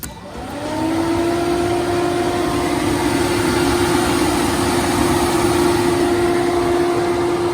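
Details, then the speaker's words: 2014 Range Rover Evoque, engine off, on a new battery: radiator cooling fan spins up within a second to a steady whirring drone, running as long as the car has power until the battery dies; faulty cooling fan control module, before replacement. "The fans just run as long as the car has power. The fans run until it kills the battery."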